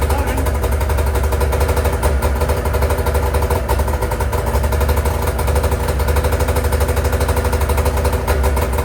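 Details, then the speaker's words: Freshly rebuilt two-stroke race sled engine with new V-Force reeds, initial startup; loud lumpy uneven idle, sounds like running on one cylinder or plugged exhaust; exhaust servo not cycling on startup. "Terrible. Sounds like the exhaust is plugged. That's what it sounds like."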